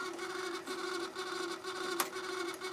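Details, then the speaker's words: Harman Kardon CD 191 cassette deck before repair, heads stuck up, eject jammed; continuous buzzing grind with rough rhythm about twice a second, nothing moving, transport mechanism grinding. "i have the heads in the up position which means i can't close the door turn it on makes awful noise nothing happening eject is jammed"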